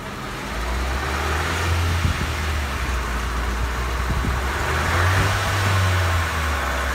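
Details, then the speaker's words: Raised right front wheel spinning at about 60 km/h with the car in gear: steady low droning hum, showing the right front wheel bearing (hub) is the damaged one. "ahí se detecta el sentido de nuestro granero quiere decir que nuestra nuestra masa derecha es la dañada"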